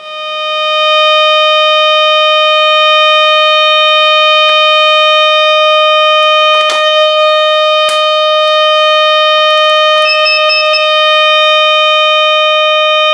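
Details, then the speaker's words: Audio-frequency (BF) tube power amplifier fed by a modulated oscillator after warm-up: a slight hum at first, then a loud, clean, steady tone around 600 Hz with a few stray clicks, showing good volume and gain. "como veis tiene un volumen muy bueno eh eh es es una ganancia que tiene bastante bastante buena para hacer lo que es el amplificador"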